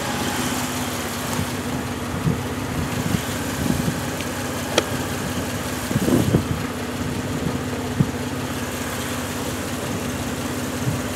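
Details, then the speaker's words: Bone-cold 1965 Jeep CJ5 just fitted with an XF Falcon electronic ignition, jump-started: idle wanders and stumbles with uneven lumpy pulses and surges; it floods, owner suspects fuel supply or carburettor issues; rough running on cold start. "hey it's bit funny at the moment because it floods so I don't really know but once it gets going is not too bad"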